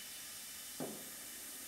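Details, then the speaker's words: Air hose inflating a small inner tube used to push out a GTO door skin dent: constant thin hiss with brief puffs, no engine; air leak, possibly the inner tube, not confirmed. "let's go a it up and see what happens sounds like we have a leak"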